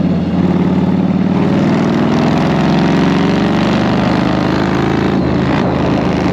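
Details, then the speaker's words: 1999 Yamaha Road Star 1600 V-twin after fixing lean popping and rough idle, warming up at about 40°F: steady, even low lumpy idle with no popping or stumbling. "God damn you hear that wow it's beautiful ah beautiful man"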